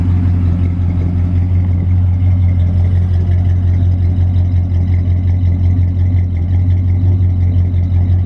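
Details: Chevy 305 5.0L V8 with dual exhaust, idling just after new spark plugs and plug wires in a winter tune-up; deep, even burble at steady idle with no misses, knocks or hunting, running smooth: normal idle.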